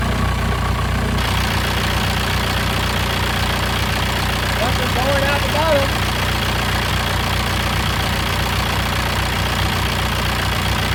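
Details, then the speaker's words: VW Passat B4 diesel after full engine rebuild, first start: steady, even, unbroken diesel clatter at idle; engine runs healthy, though slow boost later suspected from the N75 valve or a leaking intercooler. "well there you have it y'all see the live again she's a runner"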